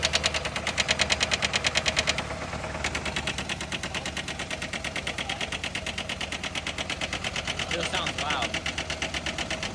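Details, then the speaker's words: Chevy HHR bought at auction with a rod knock, idling after grocery home remedies are poured into the oil. A loud tapping knock at about three a second persists, though it seems quieter; the owner is unsure if it is working or about to die. "I don't know if it's about to die out or might be working. It's definitely a lot quieter."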